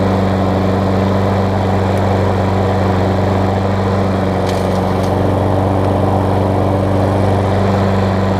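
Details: Craftsman self-propelled mower with Tecumseh engine on old gas, after tightening a loose, backwards-mounted blade that had caused clunking: steady, even single-cylinder putter, running smoothly on its own.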